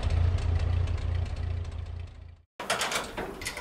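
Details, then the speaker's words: 1946 Ford 2N tractor with flathead four, after head gasket replacement and cleaning out antifreeze and rust: steady, even low thrumming at about three to four pulses a second; purring like a kitten, runs smoothly. "it's been purring like a kitten for a little while and I've got it back together so let's see if it goes down the road"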